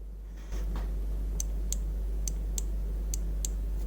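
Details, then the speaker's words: Audi S2 throttle micro switch, after adjustment, now gives sharp light clicks, six in about two seconds, as the gas pedal is pushed, over a low steady hum; it didn't click before, so it was probably mispositioned. "when you start pushing gas pedal you can hear that micro switch clicking earlier it didn't so prolly it was in wrong position"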